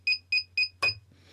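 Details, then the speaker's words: Naze32 flight controller with buzzer configured in Cleanflight; the beeper mode is assigned to a transmitter switch, which is flicked on. Sharp high-pitched beeps about four a second. Lost-model alarm sounding. "I'll flick the switch. And that beeping is the lost model alarm."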